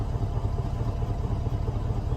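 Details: 2001 Chevy Suburban with 261,000 miles, just started after sitting, on a possibly weak battery: deep V8 idle with an uneven, lumpy pulse. Rough idle; owner suspects possibly old, bad gas but says it could be multiple things.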